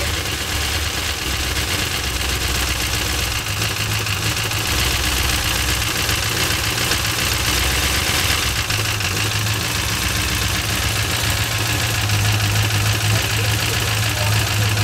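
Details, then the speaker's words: 1970 Cutlass with a 6.0 LS, 4L80E and sloppy stage 2 cam, idling on a base tune: a rough loping idle with a light uneven tick on top. The tuner says the cam sounds good but the lifters are loud; lifter noise suspected, not confirmed. "so i told him earlier i was like sounds good you know the cam sounds good but i tell them the lifters are loud"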